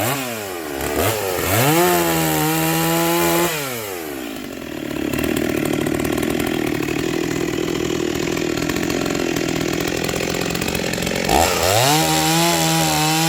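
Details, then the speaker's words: Rebuilt vintage Stihl 036 chainsaw with aftermarket Meteor piston and cylinder, new crank bearings, seals, muffler, clutch, rebuilt OEM carb, roughly sharpened test chain; crisp revs, steady even bog into wood holding speed, clean rev out; cuts well, healthy. "oh wow she cuts [Music] good my chain sharpening skills aren't the greatest"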